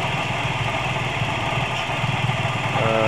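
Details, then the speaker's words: Toyota Vios G type at idle, rough engine sound when running: a rough, gravelly drone over the normal engine beat, staying constant, sounding like a bearing; exact source not yet found. "ini seperti suara bagian bearing diantara luar ya antara luar di bagian bensin yang ini tapi kita akan reset dulu untuk bagian yang mana yang mengalami suara kerok"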